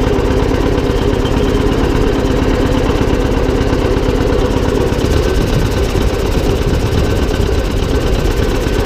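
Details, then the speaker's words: John Deere 720 two-cylinder diesel tractor, first running after repairs: steady, even idle chug with no knocks, clatter or driveline grinding; the earlier transmission noise has stopped; normal. "okay well she works pretty good I miss her glad that the transmission quit making that noise on there"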